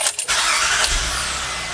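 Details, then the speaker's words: 2003 Acura MDX after fuel pump replacement, first start: fuel pump heard priming, brief crank catches instantly and settles into steady run; previously hard starting when warm or hot. "you heard that noise the fuel gauge looks like it's working turns on right away Sweet Sound so the car is working"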